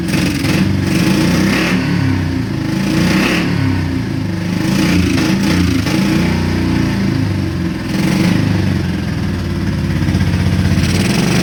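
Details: Honda Shadow V-twin motorcycle, parked 4 years, 20k miles on same oil: after Seafoam, engine now revs up and falls back cleanly in repeated blips, both cylinders firing with lumpy uneven beat; previously wouldn't rev. Owner suspects weak fuel pump.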